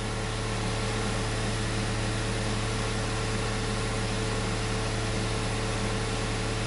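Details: VW Up after a service, idling during the fuel-adaptation reading: a low, even idle hum that holds steady without hunting or shaking.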